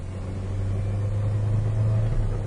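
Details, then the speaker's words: 1997 Ford Ranger 4-cylinder with very bad idle, hard start and stalling, accelerating on a road test: low droning engine labours with barely rising pitch and no power; a loud wheel bearing was also noted. "this car has like no power at all absolutely struggles"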